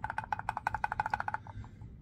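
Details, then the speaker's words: VW Crafter auxiliary pump, spun by hand during P261A fault repair: a quick run of dry, uneven ticks fading as it slows; pump feels rough and worn, judged knackered and replaced. "I think it's knackered"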